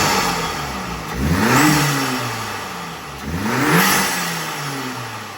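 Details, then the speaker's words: Audi S3 turbo petrol at first start-up after an upgraded intercooler, intercooler piping and new turbo muffler install: two quick throttle blips, with revs climbing cleanly and dropping back smoothly with no rattles or knocks. Healthy. "All right, everything's running good. Give her a couple revs."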